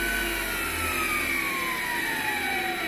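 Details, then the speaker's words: MX 8x14 mini-lathe running with no gears engaged and no load, after slotting motor mounts to reduce overtight belt tension: steady high-pitched whine over soft motor hum, owner thinks from the PWM three-phase motor controller; unconfirmed. "high-pitched whine you can hear is, I think, the PWM controller, the three-phase controller for the motor."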